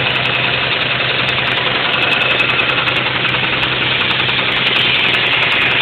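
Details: 1991 Mitsubishi 3000GT VR4 running: steady sharp metallic knock about 3.5 per second, started suddenly with no metal in oil and no oil pressure problems; owner suspects spun rod bearing.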